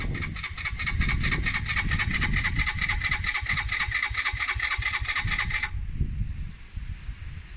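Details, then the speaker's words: Suzuki GN125, non-runner unridden for over a year, with a new battery, choke on and the fuel tap on reserve: about six seconds of fast, even starter whirring that never catches; the fuel tap position was wrong. "Now, this is the part that I made the mistake on at this kind of stage, because the fuel tap there is on reserve, which should be fine in my opinion."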